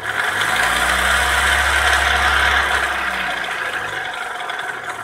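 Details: Opel Astra F 1.4 8v Si, engine C14SE, at idle: a loud gritty rasp and rattling knocks seeming to come from the bottom of the engine; the owner suspected timing or bearings, but the cause was a failed coolant pump, replaced.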